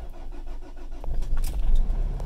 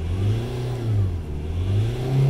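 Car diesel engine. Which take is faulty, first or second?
first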